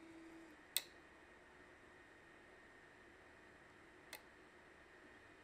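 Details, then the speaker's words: Ender 3 at idle with SKR Mini E3 board, after both the cooling and mainboard fans were replaced with Noctuas run through buck converters: very quiet, a faint steady hum and two isolated clicks. Normal idle. "this is the printer at idle and this listen to it sounds fairly calm and doesn't really make too much of a sound other than a slight humming"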